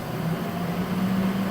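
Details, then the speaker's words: Water chiller for an HL 1060G 100W CO2 laser cutter, switched on with coolant level in the green; steady, even low hum around a fixed pitch, no knocks or rattles, compressor running and starting to cool — normal compressor running. "sound from compressor. That means the water chiller is working and start to cool."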